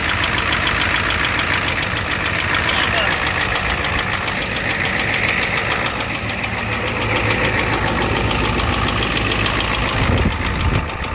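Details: 1988 Ford F250 7.3L IDI diesel at rough idle: steady clattering knock a few times a second; high-pressure fuel line leak, white/grey exhaust smoke, smoke from the oil dipstick, oil in the add zone; cause not identified.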